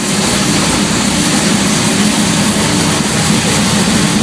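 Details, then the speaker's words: Jon Kaase 520 CI Boss 429-style big-cam V8 built on a 460 block, first-ever fire-up on the dyno with cold oil and a high-volume pump raising oil pressure; loud, steady, lumpy roar with no knocks or rattles; running normally. "Man, that sounds mean. Oh, music to the ear."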